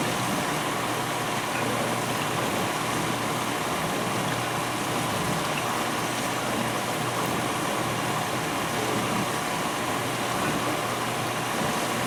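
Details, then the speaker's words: 1991 GE Potscrubber dishwasher, first full load, uninstalled without insulating blanket or cabinet, loaded dishes: constant even spray hiss with faint dish movement; normal wash cycle, much quieter with dishes than empty test runs. "it's a lot quieter with dishes in there really it's amazing"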